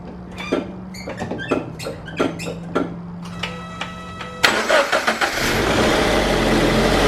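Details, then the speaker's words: 2016 Subaru BRZ, 65k miles, first start after spark plug change: quick crank, catches cleanly and settles into an even, steady idle with no misfire or stumble; normal start-up and idle. "sounds good it's idling pretty normal sounds good there goes idling where it's supposed to be"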